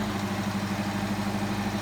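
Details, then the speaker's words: 1992 Toyota Pickup 22RE, 2WD manual, first start after fitting new exhaust headers: smooth, even idle with a steady low hum and no ticking or exhaust puffing. It sounds much better, hopefully without the earlier highway drone. "all right so even after the first fire up we can tell it sounds better uh hopefully the drone's gone that sounds that sounds so much better already"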